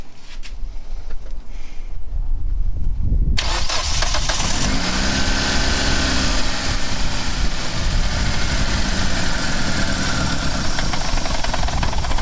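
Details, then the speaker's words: Two-door Mitsubishi Lancer CE right after fitting a replacement fuel rail and injectors: it cranks and catches, then idles lumpy and uneven with a wavering low beat and tends to die. Rough running after injector replacement. "Well, we made it worse."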